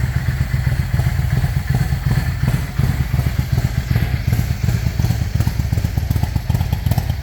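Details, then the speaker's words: Yamaha 650 V-Star V-twin with KJS single carburetor replacement, idle knob adjusted, choke issue sorted: loping V-twin idle steady without choke, no misses or stumbles; running healthy. "But all right, I'm sure you guys want to hear what this sounds like, so that's without choke."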